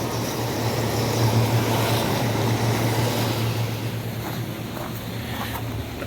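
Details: Hot tub pump two running after a delayed start caused by trapped air, following the tub's pump repair (damaged impeller replaced): steady low hum holding even throughout, outdoor noise over it. Circulation pump running normally.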